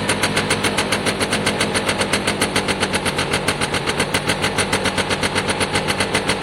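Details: Piaggio Diesis 100cc two-stroke scooter, battery out; loud, crisp popping at about four pulses a second, picks up cleanly and sounds healthy.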